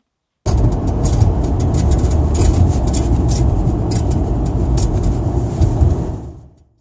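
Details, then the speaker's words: Nissan Primera driving: heavy road rumble with short, irregular high-pitched creaks from the right side of the sunroof; dry mechanism, fixed by lubricating it. "might we're doubly annoying noise came from the right side of the sunroof got worse in hallways and it sounded brace yourself like this"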